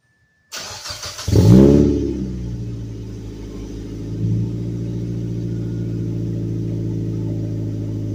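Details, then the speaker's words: Mazda Protege (Mazdaspeed) turbo cold start after plugging a front exhaust leak, no muffler, straight pipe from the downpipe: cranks, loud rev flare, then steady deep even idle with no leak noise. "definitely not hearing it from up front anymore that's great man I love how this thing sounds got no muffler on it so that's pretty much straight pipe from the dumped under the car"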